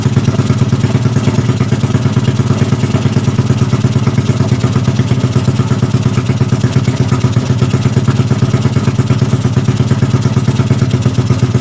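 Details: Yamaha Jupiter Z bored up to 120cc with a 53.5 mm piston, on its first start after engine assembly: the small single holds a quick, even putter at idle with no knocks or misses. Normal, healthy idle.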